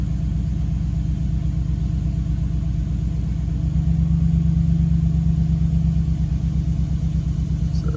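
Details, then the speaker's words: Truck on 35" tires with SCTX4 93-octane tune, running 93 octane fuel, idle raised from 600 to 800 rpm: steady even idle rumble, no misses, high at first after start and expected to settle near 800 rpm. "oh yeah idol is up i set it on 800 that looks like well you got high idle at first it'll back down after should settle around 800."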